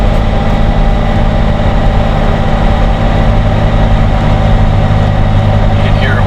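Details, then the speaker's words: Jeep Wrangler JK Rubicon, manual, 38-inch tires on stock 4.10 gears, floored in 6th pulling a hill: heavy low drone with pitch slowly sagging as RPM winds down and power is lost; engine lugging under load, gearing too tall. "can hear it winding down. Oh yeah. So I lost all power now."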